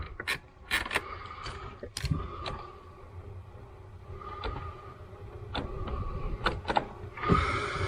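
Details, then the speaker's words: Jeep at first start after a long rebuild, heater selected: irregular sharp clicks and ticks behind a low blower rush, like a dash actuator hunting; suspected blend door or vacuum module failing to switch over, not confirmed. "It sounds like it's in like a vacuum module or something. Yeah, the fan should at least turn on. Yeah, it sounds like maybe the the blend door or something is freaking out."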